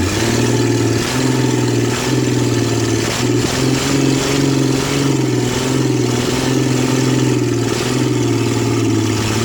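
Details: 1966 Ford Mustang, reassembled, jump-started, exhaust manifold disconnected: loud, raw, blatty, uneven idle with a wavering low rumble; not returning fully to idle and dying; oil pressure good; owner suspects carb rebuild needed or vacuum leaks; rough idle.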